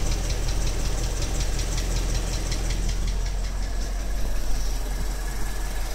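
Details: 2012 Ford Mustang 5.0 at idle: steady rapid ticking knock, clearer after about 25 seconds and loudest from underneath on the passenger side; internal engine knock, owner wonders about TSB 12-8-14, cause unknown.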